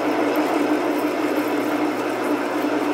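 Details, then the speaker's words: Metal lathe parting off a bar with a cut-off blade: steady thin whine over the cutting hiss, a resonance set by chuck overhang and spindle diameter; mild, not harmful, tamed by finding the right feed and speed and using plenty of oil. "we're dealing with resonant frequencies so depending on the chuck overhang the spindle diameter or what have you uh you got to find the right combination of feed and speed"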